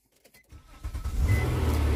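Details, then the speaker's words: Nissan Maxima with 190,000 miles and check engine light, listed as run and drive: brief crank, catches at once, settles into smooth steady idle with no misses; normal engine start. "oh she fired right up too carrington you you you might get to see your first nissan on the channel"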